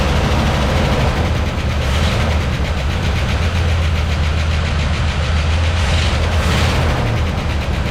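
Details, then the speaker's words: 1979 Dodge D-100 Custom, 318 V8 automatic, first start after sitting about 10 years: steady idle with faint light ticking as lifters wait for oil flow. "lifters are taking a little bit gotta get that oil flowing"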